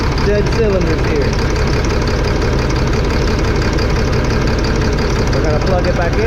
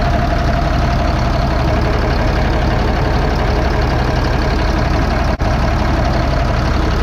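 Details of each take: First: 2005 Fleetwood Discovery, Freightliner chassis, Cat C7 diesel with low power, topping out 60–65 mph: lumpy uneven idle about three pulses a second, no rpm change when cylinders 5 and 6 unplugged; dead cylinder misfire, bad injectors, replaced. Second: 2005 Fleetwood Discovery, Freightliner chassis, CAT C7 diesel, after replacing bad injectors on cylinders 5 and 6: steady even idle, smooth low rumble, no misfire; power balance shows all six cylinders working.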